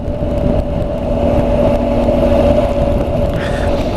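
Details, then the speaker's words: Honda NC750X DCT riding around town: a steady mid-pitched whine over engine and wind at speed, seemingly tyre noise from the front. The owner expects it to change when the front tyre is replaced with a Pilot Road 5. "as you know the main issues I've got really is the seat and that wine at the tire noise if you can hear that"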